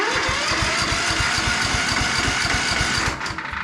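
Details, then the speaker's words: Ride-on lawn tractor (estate car), after rewiring the harness, spark now visible: steady even starter cranking at about four compressions a second with a light rattle on top; normal cranking. "and it's cranking now and I don't know whether you notice but I can see a spark"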